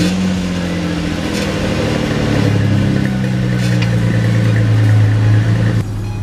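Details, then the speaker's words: Cold start of a Mustang ("Black Beauty") after Midas refitted the stock cats and resonators to its homemade dual exhaust, which was raspy above 25% throttle; a high steady drone eases down as the idle settles, clean and even without rasp. "Excellent work. The car sounds good on startup."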